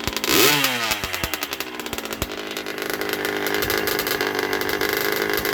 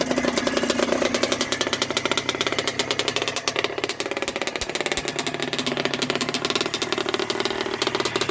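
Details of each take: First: 1980 Yamaha YZ80G two-stroke, rebuilt with new piston, rings, small-end bearing, being run in, choke on, exhaust pipe cleaned, muffler needs repacking: crisp ring-ding blip to steady buzzing idle, louder but strong, no knocks; normal running. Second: 1980 Yamaha YZ80G two-stroke after rebuild with new piston, rings and small-end bearing, being run in, on choke, exhaust pipe cleaned out: crisp, rapid crackle with a harsh, raspy bark at fast idle; loud from worn muffler packing needing repacking.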